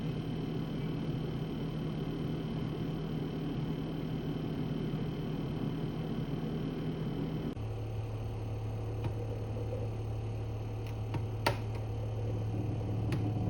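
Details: New Electrolux fridge: steady loud low compressor drone, dropping in pitch partway, audible from the next room; after-sales claims it is normal compressor sound, owner considers it faulty.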